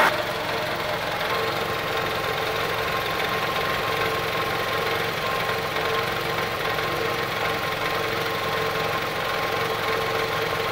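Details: 2003 Toyota Camry, about 200k miles, after replacing a shredded belt but not the tensioner. Busy, sewing-machine-like valvetrain ticking over idle; lifters, camshaft and timing idler confirmed, original camshaft had snapped, engine replaced.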